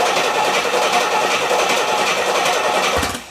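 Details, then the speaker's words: Barn-find Rolls-Royce being recommissioned with a new battery cranks at a quick, fairly even rate but never fires; fuel present but no spark at the plug. "turns over fine but no V first things first let's whip a spark plug out"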